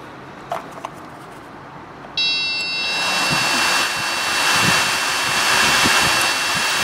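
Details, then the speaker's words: 2006 Saab 9-3 HVAC blower motor behind the glovebox, after WD-40 was sprayed in; it spins up to a raspy, high whir with a dry, uneven scraping beat and keeps jamming. Seized, worn blower motor bearing. "try it again now look tricking trip me think right it keeps jamming"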